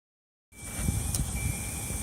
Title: B21ft Microsquirt rough idle